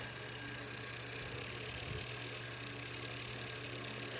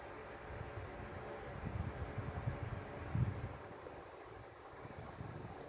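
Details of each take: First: Sanyo desk fan motor running without its blade: a quiet, steady hum with a faint dry rub from an oversized homemade spacer that needs trimming. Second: Sanyo desk fan after reworking the stiff rubber-caged motor bushing, on speed 1: only a soft low airy whoosh with no rattle, tick or grind; normal quiet running.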